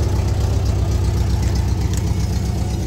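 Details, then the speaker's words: 1983 VW Westfalia Vanagon after restoration, engine said to be the same as the Porsche 914's: smooth, steady low idle with an even beat, no tapping or stumbles. Engine running nice and smooth. "you hear the engine run runs nice and smooth"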